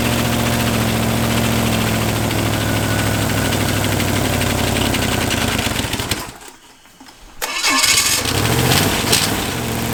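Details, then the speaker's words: Chevy 283 small-block running on one head (four cylinders, homemade CNC head gasket): catches, cuts out, restarts with light quick ticking over idle as bled-down lifters pump back up. "the ticking over here there's a bit of a tick over here like yeah so I think that's some yeah you hear that that lifters going back down here we go"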